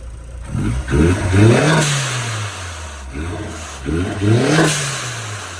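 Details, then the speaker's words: 2021 Starquest after wire tuck and radiator fan upgrade, warmed up, exhaust shot: two quick blips, pitch climbing and dropping cleanly with no knocks or misses; normal revving, fuel pressure needs a slight bump. "good beautiful i love it i need to bump up the fuel pressure a touch but other than that she is perfect"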